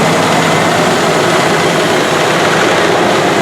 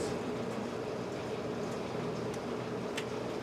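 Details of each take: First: 1984 Rolls-Royce Corniche after replacing injectors on one side only, warming up then revved: even, steady engine note with no stumbles, the former hesitation and lumpiness gone. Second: 1997 Bentley Turbo R idling after oil change to quiet lifters: faint steady mid-pitched whine over smooth idle, suspected bearing noise from AC compressor or air pump, source not confirmed.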